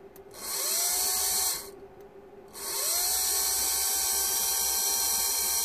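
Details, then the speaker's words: Mitsubishi Shogun HBB brake booster pump motor, bench-tested off the unit after repair for no-brakes, ABS and brake light fault: clean high whine spins up, stops, then runs smooth and steady again; working lovely. "it's working lovely"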